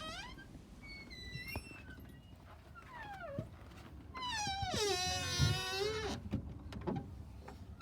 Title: Fix a Squeaking Door Glue Syringe Hack! Stop a Door from Squeaking w/ 3 in 1 Oil & OPTIONAL Syringe